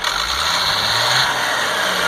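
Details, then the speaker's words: 1998 GMC C8500 with Caterpillar 3116E diesel, after injector O-ring repair, valve cover off: engine revs cleanly to about 3500, spiking near 4,000 rpm, with a steady even rush, no miss, flutter or hesitation, and restarts immediately; normal free revving. "well I'm going to have to tell you I'm pretty happy with that there's no engine Miss there's no flutter and uh it starts right back up no hesitation"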